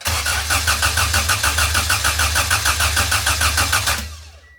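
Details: D-series-engined wagon, first crank after the ECU was repinned for multi-point fuel injection and fuel pressure was built: starter spins about three and a half pulses a second for four seconds with no firing; crank no start, spark check suspected next.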